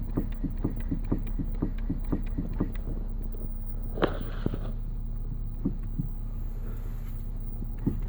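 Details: 2014 Nissan Qashqai J11: sharp knocks two to three times a second over a low steady hum with a louder clunk midway; suspected steering rack knock, not confirmed.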